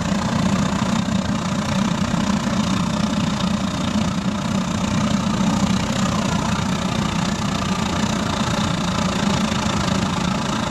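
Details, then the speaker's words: Gravity-fed waste-oil burner fitted in a pot belly stove, blower-supplied air, run up to full output after an easy start with a pop: deep, even roar with low flutter, burning clean and steady without surging, drum getting hot. "bloody beautiful already burning nice and clean I think she's ready for a bit of a throttle up [Applause] just got to love that sound"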